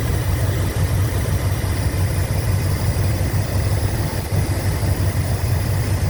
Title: 1987 Chrysler 5th Ave Lifter tick gone! New lifters, manifold gaskets etc